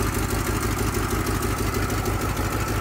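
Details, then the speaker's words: One-owner 1968 Chevrolet Chevelle SS V8 barn find: steady lumpy idle with an even puff-tick about five times a second on top; a listener thinks it is a little exhaust noise. "Well, Larry says it sounds like a little bit of an exhaust"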